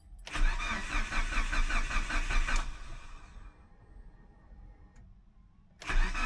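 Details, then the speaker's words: Mitsubishi Evo 8 first cold start after cylinder head was O-ringed and reinstalled, oil changed and lifters bled, after sitting: about two seconds of rhythmic cranking, then it catches sharply and fires up cleanly; normal cold start. "Like that, we're alive, baby. Let everything load up."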